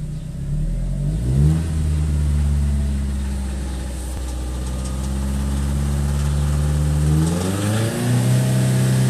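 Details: Audi S3 petrol engine revving up and holding speed, a rough deep knock under the hum; sump full of big end shavings, a failed big end bearing.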